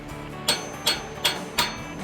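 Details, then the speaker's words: Hydraulic lifter bench hand test from a noisy engine's valvetrain: four sharp, hard metallic taps about every third of a second with no spring cushioning, like hitting a rock; the lifter plunger is stuck solid. "it's like hitting a rock no movement movement"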